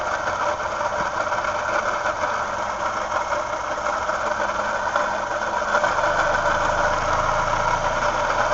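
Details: 2007 Toyota Yaris idling: steady hum and rattle from the left, pulley side, unchanged by revving and briefly louder when the fan kicks in. The car drives fine; the A/C failed for a day recently, and a link is unknown.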